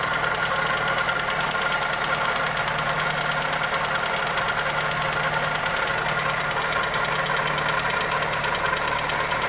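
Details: Toyota Corolla EE90 with 2E engine at even idle: fast light ticking, steady and unchanging; cause unknown.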